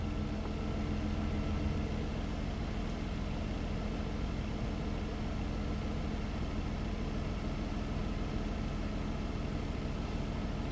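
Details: 2005 Nissan Maxima V6 with a swapped-in junkyard engine, reportedly from a Nissan Quest, 165,000 miles: steady, even low idle with no stumble across all cylinders after the cylinder 3 misfire (P0303) was diagnosed and cleared; running healthy.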